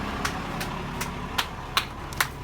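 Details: RV started after charging its battery from about 9 to 12.1 volts, then 50 amp boost: engine holds steady low idle rumble with a few sharp clicks, running evenly. Normal idle.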